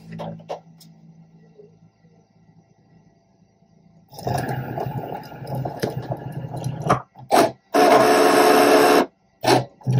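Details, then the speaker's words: A soft motor hum, then loud, rough rasping strokes as a Cricut Maker 3 blade slices fabric for an appliqué, a cut of about 30 seconds. This noise is normal for cutting fabric. "cutting fabric is pretty noisy so don't be alarmed if you hear that blade just slicing your fabric"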